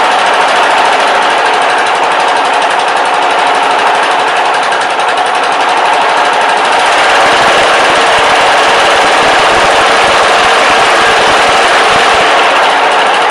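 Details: Briggs & Stratton 14.5 OHV single-cylinder engine after replacing the camshaft with a good used one and fitting the correct oil sump; running fast and steady with a sharp, even rapid bark, no knock or miss.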